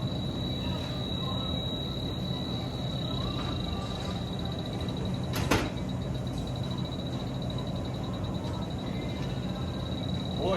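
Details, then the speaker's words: Supermarket refrigeration leak check with H10 detector at a leaking Schrader core: steady high-pitched electronic tone with fast pulsing ticks over store fan hum, detector alarming at the leak. "Next, I'm going to take the H10 and I'm going to try to identify where that leak is first. for sure. Oh, it's still leaking. That's for sure."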